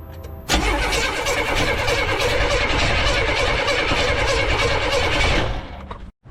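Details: 1982 Buick Regal being started after more than 25 years, with the choke held slightly open and pedal pumped: starter cranks steadily at about four beats per second for about five seconds and never catches, because the distributor ignition timing is off.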